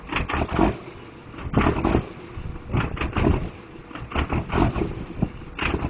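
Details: Diesel truck with a bad injector: loud engine lopes unevenly, surging roughly every second and a half with choppy uneven beats; misfiring cylinder.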